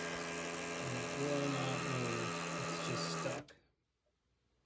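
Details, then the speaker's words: Pioneer CLD-59 LaserDisc player that stopped on Side B: buzzy whirring with a rough gear rattle for three seconds, then it cuts out, as the broken laser sled motor holder lets the gears grind. "When we turn on the unit, it uh makes a grinding noise on the gears or like a rattling noise on the gears and it sounds like the motor holder is broken."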